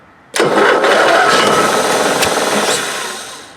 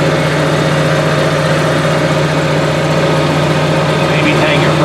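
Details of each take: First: Onan Marquis 5500 RV generator in a 1998 Bounder, 20+ years old with about 60 hours, on starter fluid with air cleaner removed: bursts into a rough roar for about two seconds, then dies; may not be getting fuel. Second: Onan Marquis 5500 RV generator (1998 Bounder motorhome, 20+ years old, 60 hours) after carburetor rebuild; even steady constant-pitch hum, no misses, surges or knocks; owner says it sounds really good, lots of life left; normal running.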